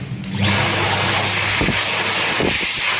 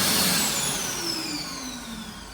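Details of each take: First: Dyson 9kJ hand dryer as it is supposed to sound: loud, steady high-pitched air rush holding even for about eight seconds, then winding down; normal healthy run. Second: Brand-new Mitsubishi U2 hand dryer, in service only a few weeks (filmed November 2022): the main shutdown is fairly normal, but a loud whine falls in pitch and a high-pitched squeal appears at the end of the run-down.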